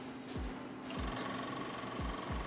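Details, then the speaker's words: 2003 BMW E39 530i, key in position two: the blue main relay for the MS43 DME clicks irregularly, about twice a second, over an electrical hum, chattering when the faulty or water-damaged DME shuts off, causing intermittent crank-no-start. "Now this is the problem we're running into. You can hear the relay clicking. This is the main relay for the DME, that blue one back there, and it is going crazy."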